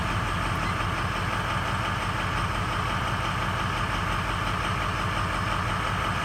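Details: 2003 Ford F-250 6.0L Powerstroke diesel at startup: uneven, lumpy idle with a loping, irregular pulse under the clatter; running rough, possibly misfiring, cause not clear.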